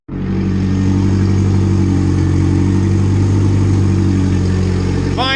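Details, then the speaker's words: Turbo B16 EG Civic after fitting a stock fuel pressure regulator and draining oil overfilled with gas and water, now on all four cylinders; steady even drone idling high around 1500, no misses; normal running, high idle. "we got this thing running running good actually doesn't want to idle unless it sound like 1500 but it's it's running smooth finally"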